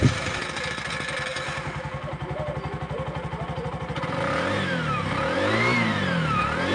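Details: Bajaj single after carbon deposit cleaning and valve clearance set (intake 0.10 mm, exhaust 0.12 mm), previously hard starting and misfiring: quick start into a fast, even putter, clean rising and falling blips without misses; normal running.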